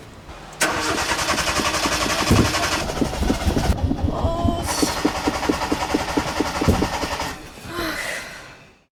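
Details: Hyundai Accent cold start with pedal pumping: starter churns in long uneven bursts, brief catches and revs that fade without settling into idle; extended cranking, hard start.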